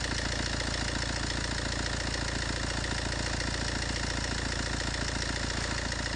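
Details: Fiat 1.3 Multijet diesel at idle: fast, even clattering rattle steady throughout; worn-out timing chain, seen stretched to its limit through the inspection window, chain replacement needed.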